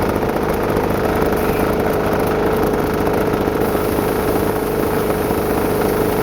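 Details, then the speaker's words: Homemade diesel-engine air compressor, test run after new belt install: steady mid-pitched engine drone with a constant hum; the clutch vibrates and locks up, engaging instantly even at really low RPM, cause not yet found. "it like vibrates and starts engaging instantly Like You Hear It Go food it's vibrating and it locks up and engages instantly even if it's had really low RPM so there's definitely something wrong with that"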